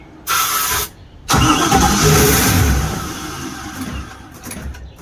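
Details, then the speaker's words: Holiday Mansion houseboat engine, several gallons of fuel just added and no gauge reading: starting spray in the carburetor's two front barrels makes it catch briefly, run rough a couple of seconds and sag away. A fuel delivery problem, fuel not reaching the engine. "If it runs with that, that means we have fuel problem. We need to get fuel, pumping fuel."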